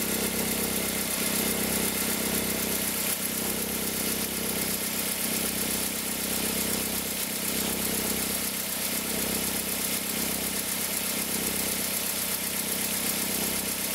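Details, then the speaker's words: 2003 Toyota Corolla with an engine noise only when cold that stops once warm: quiet cold idle with a constant whirring hum, loudest at the accessory belt tensioner. It also appears in reverse with slight throttle; suspected tensioner bearing noise. "A gente colocou, quando a gente colocou, a gente percebeu que o barulho ficava muito forte na região aqui da correia de acessórios, porque o barulho dá ressonância no motor inteiro, dá até aqui no coletor, né?"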